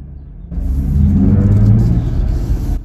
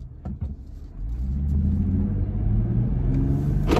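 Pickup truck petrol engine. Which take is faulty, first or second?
first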